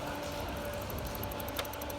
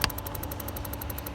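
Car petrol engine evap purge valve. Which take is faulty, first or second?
second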